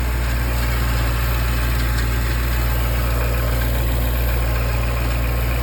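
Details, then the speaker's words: 2008 Jaguar XKR, AJ34S engine, Eaton M112 supercharger: light, marble-like clatter at idle from the top/rear of the engine, not a deep bottom-end knock; car runs fine. Failed supercharger needle bearing, fixed by replacing the bearings. "It's kind of a clattering sound. The car runs fine, but it makes this bag of marbles sound. It's kind of a light tone. It's not something that sounds like the bottom end is breaking apart."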